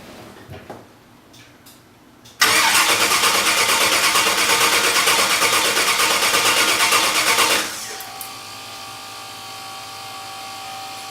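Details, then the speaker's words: Engine cranks in an even chug about five seconds but never fires; fuses look fine, fuel pump not running; no fuel getting to the engine, traced to a loose wire at the fuel pump. "Okay, there was no fuel getting to it, and there was a wire loose at the fuel pump."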